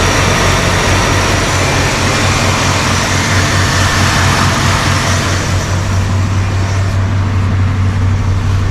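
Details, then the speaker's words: 1978 Dodge Ramcharger V8 after reassembly: deep, steady idle rumble; earlier tick, likely a lifter that bled down, is gone; engine sounds smooth and healthy. "yeah that tick's gone that's good news that makes me feel better"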